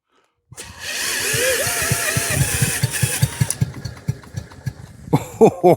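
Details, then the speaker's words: Stuart generator engine, no fuel system rigged and no water in it, spun by a drill to test for spark: whining hum with scattered pops and a few bursts, but the engine never catches and runs. "Stuart is trying to fire. Come on. Come on."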